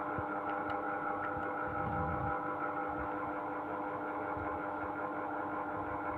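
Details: Sharp AH-A5UCY air conditioner (Gree OEM): steady droning hum with several fixed tones over a low rumble; runs noisy, cause not evident.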